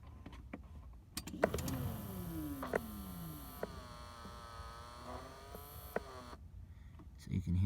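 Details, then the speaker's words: 1996–2000 Dodge Grand Caravan in -20° Alaska cold, blend door actuator behind the passenger side: with heat set to cold and fan cycled, the actuator motor makes a smooth whirring spin, working normally. "can hear that spinning turn it back up to high I'm just gonna turn that fan on real quick on and off so I can hear that Actuator motor again okay so it's spinning"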